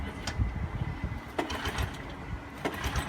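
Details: 1984 Honda ATC200ES Big Red trike, sitting for many years, first start attempt, possibly in gear: three rasping pull-cord strokes about a second apart, engine churns over each time but never catches; cranks without firing.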